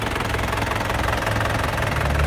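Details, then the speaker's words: Silver 2010 Isuzu Panther LM Smart Turbo diesel, engine bay, at idle then blipped: steady low even clatter, no odd knocks, described as very solid ("kempel"); normal healthy diesel idle. "Nah untuk mesinnya seperti ini, suaranya kempel banget teman-teman. Kita coba ya, gas ya. Nah untuk suaranya masih enak banget, masih kempel."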